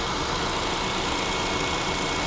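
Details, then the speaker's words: Auction-yard vehicle with 60,000 miles, hood open, cooling fan running and AC not working: steady, even idle with the fan whooshing over it, no knocks, misses or surging; engine runs great. "I mean, it runs great."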